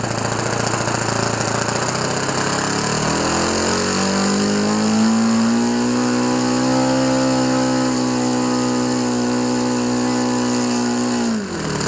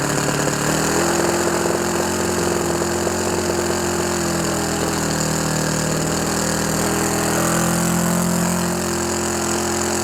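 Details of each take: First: OS FS 91 Surpass 15 cc four-stroke methanol engine, rebuilt with epoxy-welded exhaust and new crankcase cover, break-in on very rich mixture with strong vibration: fast, steady drone climbing smoothly with throttle; runs healthy. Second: OS FS 91 Surpass 15 cc four-stroke methanol engine, first start for break-in after a crash repair: new crankcase cover, carb body, ring, bearings and seals, plus epoxy-welded exhaust, propeller probably 14x7. Uneven, burbly, wavering note. Mixture set very rich to bed in the ring.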